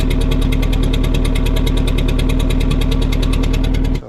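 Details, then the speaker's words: Nitrous car that had melted spark plugs and got a new head gasket, started after two years parked: fast, uneven, metallic ticking chuffs from the exhaust over a rough, miss-like idle before shutdown. The owner suspects a valve and plans a teardown. "Today I decided I'm going to pull the motor out and pull the head off and probably just tear it back down and see what's going on cuz it was making some kind of metallic noise whenever I did start it up coming out the exhaust."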